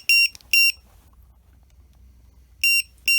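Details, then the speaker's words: MJX Bugs 3 drone with added lost-model beeper, no Jumper transmitter link: sharp high-pitched beeps in pairs with gaps, alarm sounding so the drone can be located. "Say we fly this away from ourselves, we lose connection to the jumper. It's just going to sound off in the field."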